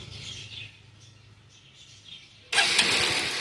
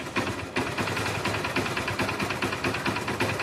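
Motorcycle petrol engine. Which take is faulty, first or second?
first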